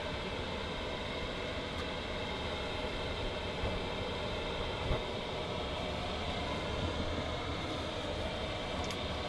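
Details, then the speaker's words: Chinese diesel air heater in a motorhome, after a 50-minute test run at 9°C outside: steady, even fan rush with no pulsing or rattles as it completes its normal cool-down cycle and switches itself off. "Okay, the heater has turned itself off, so it's run through its cool down cycle and switched off."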